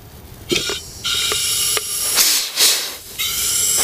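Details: MCI MC9 bus front air brake chamber, removed, fed air: sharp bursts of air hiss each time air enters, so air escapes through a leaking diaphragm; chamber not functioning and to be replaced.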